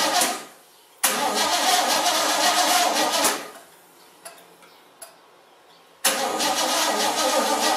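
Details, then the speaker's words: Basket-case GMC after the plug-wire spark fix and a new carburetor gasket: it runs rough for a couple of seconds, fades and dies, then fires again briefly. The owner blames bad gas. Engine stalls after start. "um all right it started and it kind of ran it didn't make a lot of noise bad gas won't let us stay running"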